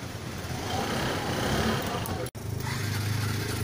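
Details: Suzuki Access scooter after new clutch belt fitted (variators removed to install) and kick-start greased: engine catches and runs at steady low putter, rear wheel spinning freely, drive engaging cleanly; normal running, belt problem fixed.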